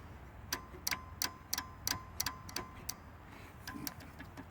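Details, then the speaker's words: Toro Wheel Horse 8-25 ride-on mower, key on, engine off, seat switch jumped: crisp clicks in quick bursts as deck engagement and neutral levers are worked with parking brake on, showing the interlock safety switches work. "that's the switch clicking if that switch clicks then you know that this switch is good"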